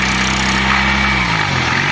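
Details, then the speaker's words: Single-cylinder motorcycle that wouldn't go past 20 km/h, started on carburetor fuel: steady idle with a fine tinny buzz over the exhaust note, a catalytic converter rattle that stops when pressed with a finger. "ó parou o barulho tá ô par par parou parou ó esse aqui é o catalizador"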